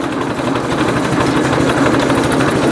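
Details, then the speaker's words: Ford 800 tractor at a slow idle of about 600 rpm after the leaking fuel valve was replaced; the owner notes it burns oil. Very low, even putter with steady, evenly spaced firing and no misses or knocks: a healthy slow idle. "there we go it's like 600 rpm it's running out there that's pretty good it's pretty darn good"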